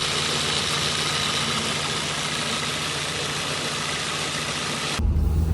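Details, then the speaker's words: 2000 facelift Audi B5 1.8 automatic with 300-something thousand km, after service and oil pump replacement: steady, even idle with a soft, smooth hum and no knocks or ticks; the engine is quiet and healthy. "goes like a bomb quiet engine you can hear it doesn't even make a noise absolutely perfect"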